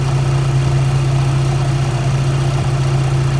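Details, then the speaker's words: 2007 Dodge Nitro RT 4.0 after replacing the belt tensioner, which had squealed like a canary especially with the AC on: a steady, even low idle hum with no chirp or squeal, and the belt drive is quiet. The owner still hears a small knock, possibly the crank pulley. "amazing there's no other way this Canaries could be this quiet the whole thing we've done is change that stupid tension"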